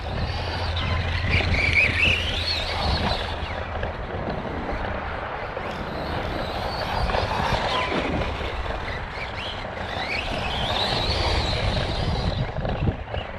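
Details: Kraton 4S RC truck on track laps, about 29.83 miles total: high-pitched whine climbing and falling with speed each pass over tire and track noise. Owner suspects a bad bearing or gear somewhere in the drivetrain, not confirmed.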